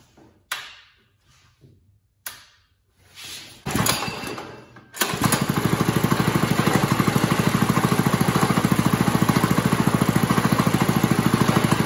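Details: New 212cc Lifan Chinese engine swapped into a Monster Moto go-kart, first start: after a few starter pulls it catches and settles into a fast, even putter with no misses; it idles cleanly.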